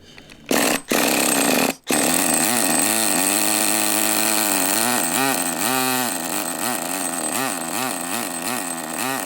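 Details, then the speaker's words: Traxxas nitro rally RC car after replacing an O-ring that had caused power loss and stalling, plus new servos: small nitro engine screams steadily, revs rising and falling with throttle, no sputter or dropouts; normal running. "Alright guys, I changed the O-ring and it is running a 1,000 times better. It actually stayed on. It actually was not losing power, wasn't stalling out like it was before."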